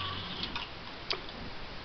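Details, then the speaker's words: 1957 Chevy at key-on after rewiring the ignition switch so the ignition terminal feeds the instrument panel; faint quick ticking in a quiet cabin as the electric fuel pump primes normally. "So you turn the key on and, fuel pump comes to life."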